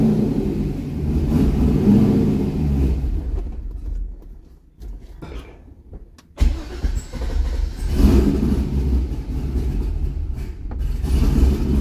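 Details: C6 Corvette V8 after an aggressive camshaft and long-tube header install, old tune unchanged: lumpy uneven idle sags and dies about four seconds in, restarts and stumbles again. Rough running and stalling from a tune mismatched to the cam.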